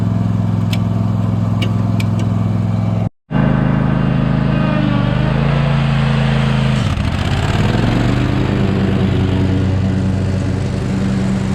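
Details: Cub Cadet mower, abandoned and bought at auction after a dealership failed to fix it, test-run: steady, even single-cylinder drone with a brief cut, then a smooth dip and recovery as it takes load; running properly.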